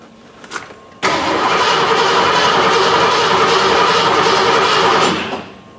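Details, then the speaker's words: Ford F150, 39 years old, towed in: with fuel pump powered and running, starter cranks the engine in an even, fast rhythm about four seconds but it never catches; crank no start. "engine the pump is running but the the truck is not starting okay so what do you guys think is the issue"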